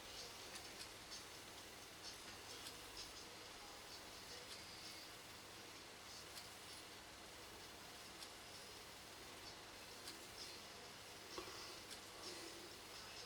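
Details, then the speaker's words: Sony TC-755 reel-to-reel tape recorder after reassembly with head cover on: steady, even transport hiss with faint light ticks, no grinding, scraping or speed wobble; runs correctly at the lower speed too. Normal tape transport running, though occasional chatter remains to investigate. "That sounds about right. Right. Let's drop the speed. See if it runs off. does. Right, that seems to be okay."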